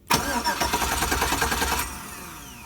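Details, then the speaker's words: 2005 Chevy Avalanche 5.3L, 280,000 miles, no-crank after stalling while driving (blown 20A PCM B fuse): starter relay jumped across 30 and 87, quick even cranking under two seconds; starter and its wiring fine. "Okay. So this tells me that the connection going all the way down to the starter is perfectly fine."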